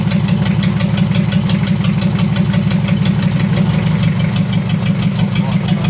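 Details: Mitsubishi L300 diesel (2010+) after an engine overhaul and an upgraded 12 mm rotor head, first start: deep, uneven, limping idle with two lumps a second. Oil pressure is 4 bar at idle, and the misfire comes from a leak.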